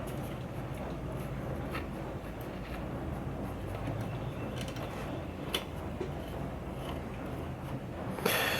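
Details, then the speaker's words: 1940 Emerson DB-301 AA5 tube radio at first power-up after the across-the-line capacitor was replaced, original electrolytics untested, no antenna yet: low hum with scattered crackles and pops from the speaker; electrolytics to be replaced next. Cause suspected, not confirmed. "I got it plugged in tubes lighting up some crackling from the"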